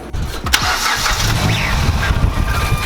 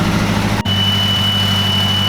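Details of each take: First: Mazdaspeed3 on first start after a 3.5" intake, Corksport intercooler and high-pressure fuel pump, with no base map yet. Starter spins in long cranking runs with no firing: cranks but won't start, cause unconfirmed. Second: Mazdaspeed3 turbo with 3.5in intake and Corksport intercooler, just started on its first base map: steady even idle, constant low rumble with a thin high tone on top, no misses or knocks; normal idle.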